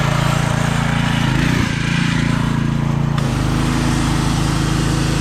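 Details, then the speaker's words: Pressure washer with 6 hp Briggs & Stratton engine and vertical pump, previously stalling under load, after adding pump protector oil: steady even drone with only a brief dip under load, no stalling; pump comes on faster. "stop making it stall anymore also the the pump comes on a lot faster now too"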